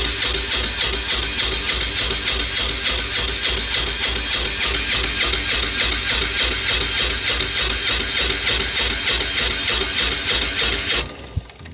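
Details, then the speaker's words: Apache diesel generator, cold, main breaker off, slightly warmed by a heater: even cranking at about 200 beats per minute for eleven seconds with no firing; owner suspects the electronic fuel shutoff needle is stuck, keeping fuel out. "even a fire like should be firing huh I wonder if this thing's not doing something right up here the the needle the electronic needle"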